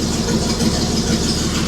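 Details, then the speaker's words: 1941 Chrysler flathead six after correcting swapped plug leads six and two: even, steady idle with a soft regular pulse and no shake; oil pressure about 20–30 psi at idle; normal running. "That's a little bit better. All right, let's shut her down. As I was saying, yeah, we got about 20 30 lbs of pressure while while it's idling. So, that's much better."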